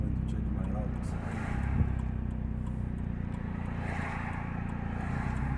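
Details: Old 2000 Nissan Altima driving, heading for a highway: heavy loud raspy low exhaust drone from a leaking exhaust, awaiting repair.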